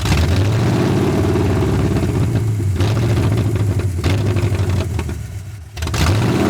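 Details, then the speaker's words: 1981 Ford Mustang 5.0 carbureted V8, parked since 1996, fed by a temporary electric fuel pump: low lumpy idle surging and hunting, nearly dying at the end; distributor timing slightly off suspected, plus a vacuum leak or shot carb/gasket. "She's fighting me. I think the distributor is in the wrong spot a little bit, and it's not enough to let it idle."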